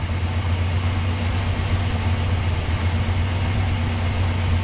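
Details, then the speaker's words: 1968 Chrysler Newport after the points were fixed, cold start after sitting overnight: catches and settles into a smooth, even low idle with a steady rumble and no misses or knocks, then warms up for the cooling-system check. "I guess when your points are working good that's how it starts up"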